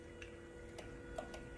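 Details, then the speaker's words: 2018-2020 Ford F-150 with Whipple supercharger, added JD Performance dual fuel pump for E85, testing by jumping connector: auxiliary pump runs, then on disconnect stops and the relay gives faint sharp clicks, showing wiring and relay work normally. "Disconnect, the pump shuts off, and I can also hear the relay over there"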